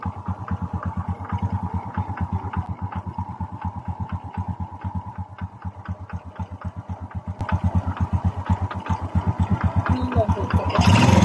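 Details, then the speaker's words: Honda XRM 125 carburetted single-cylinder after replacing the crank side bearing and connecting rod and reboring: even beat about four per second with a light tappet tick, normal for Honda, rising smoothly with throttle; no vibration, healthy idle. "Yun o, balik brand nyo na ang tunog ng kanyang makina guys. Meron siyang tak-tak-tak, normal yan sa mga Honda. Halos lahat ng meron yan."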